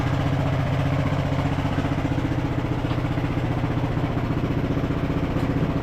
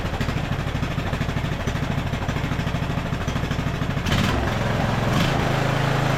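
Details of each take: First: Revived Craftsman LT1000 riding mower, single-cylinder, driving under load in gear: steady pulse about three beats a second, even and smooth, no knocks or misses; running really smooth, though brakes need adjusting. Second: Craftsman LT1000 riding mower single, first start after carburetor rebuild with mixture screw fully out: uneven thump about two a second, running lean until screw backed out about half a turn to add fuel.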